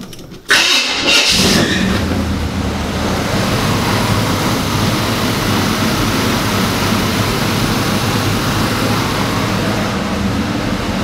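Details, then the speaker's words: 1975 Chevy K5 Blazer that sat 12-13 years, first start: a brief crank, then the V8 fires at once into a steady, even rumble with no misfire. No spark was fixed by changing the distributor. "when I finally found the problem I and I try to see if I had spark I the car actually fired up right away"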